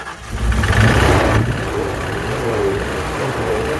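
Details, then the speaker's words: Ford Fox Body Mustang project car, throttle body cleaned and Gorilla tape used as a gasket, fresh gas added: catches, flares up briefly, then settles into a steady even idle with no misses or knocks. "listen to that baby purr what I mean granted so Gorilla tape works um it just needed some gas just needed some gas"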